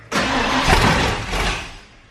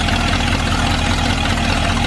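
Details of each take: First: Ford Bronco being converted to FiTech EFI, distributor key wire newly wired into switch panel: engine catches with a quick burst, runs about a second, then dies every time; starts then stalls. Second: Ford Bronco V8 with new FiTech EFI and new cylinder head, after distributor timing was set: steady, even idle with a low thrum and no knock or hunting; normal idle.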